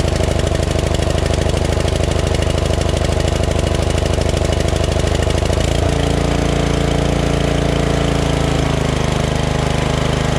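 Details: Craftsman LT2000 lawn tractor repowered with a Briggs 14.5HP SOHV single after sump gasket repair and new battery, just started; even thump about two and a half beats a second, settling lower as throttle drops; normal running.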